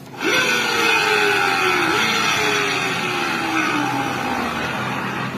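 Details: Automatic scooter secondary pulley shaft, rear wheel spun by hand: rough, gritty whirr dropping in pitch as the wheel slows; worn secondary pulley bearing, smooth once pulley removed.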